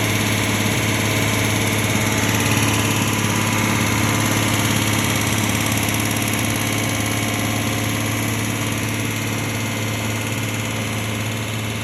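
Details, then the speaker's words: Low-mileage one-owner Aston Martin recently serviced at a franchise dealer: even idle carrying a steady deep knock, roughly three to four a second, under the engine note; big end bearing failure about to worsen. "hi as the 47s can sometimes suffer this is Big M bearing failure just about to turn from this into this"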